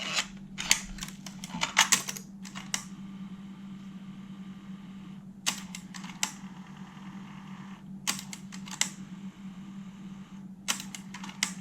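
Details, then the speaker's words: Alpine 5255 in-car cassette deck (1988, cassette-only, auto-reverse), bench-powered on 12 V with a tape in: clusters of mechanical clicks every few seconds over faint motor hum as it keeps flipping forward/reverse without playing; main rubber drive belt at fault, fixed by belt replacement. "so all it's doing is switching between forward and reverse it's an auto reverse deck but it's not actually playing it's just going forwards and backwards"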